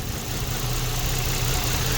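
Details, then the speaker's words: 2009 Land Rover LR2 (Freelander 2) idling rough with backfire and lean codes P0171/P0174: a steady airy hiss and thin high whistle from a clogged PCV valve in the intake manifold; the fix is replacing the manifold or fitting a PCV rebuild kit. "all right here's another issue this thing has it's got this loud Whistling noise and I thought it was intake first I checked all the intake stuff"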